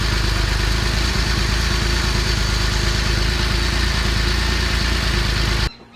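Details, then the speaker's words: Porsche under acceleration after a downshift, check engine light with misfire code P0301 and knock sensor code P0327: uneven, stumbling running instead of a smooth hum; misfire, coil packs and plugs then replaced. "so you can hear that it's kind of off and I could feel it as I continued my drive home uh that night"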